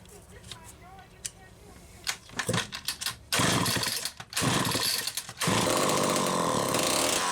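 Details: Homelite XL-12 chainsaw, final test run after an ignition repair (misaligned coil bracket, missing lock washer): after a few tries it catches and holds a loud, steady full-throttle scream without cutting out; running normally.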